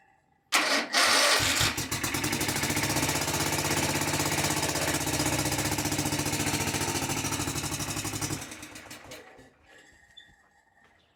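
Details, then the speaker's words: Kawasaki FS651S mower engine, very high hours, smoking, popping and bogging, after valve gap check: starts and runs with an uneven lumpy beat as if on one cylinder; dead cylinder, cause not yet found. "right, it still sounds like it's running on one cylinder."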